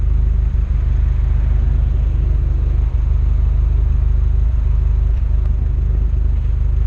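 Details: Renault Megane R26 230 F1 (petrol) with the 'Megane cough' while driving: a steady low drone broken by a few brief stumbles and dips in pull. Intermittent misfire that persisted after an injector change; cause suspected, not confirmed.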